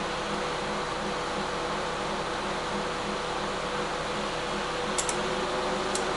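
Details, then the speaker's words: Older microwave/convection oven on combination cook at 250 degrees, top and bottom elements assumed: even fan hum with steady low pulse, no grinding or buzzing; reaches 188 degrees. Normal running. "Now it's on combination cook, so I assume it's top and bottom heating elements."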